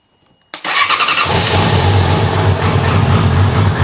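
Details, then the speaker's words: Yamaha R6 (13S) started for the first time in two years, after clearing fault codes 12 and 11: quick catch then an uneven lumpy idle with wavering beat; runs rough but alive. "so that you can hear the bike and you can do it it's not happy it's but it's alive"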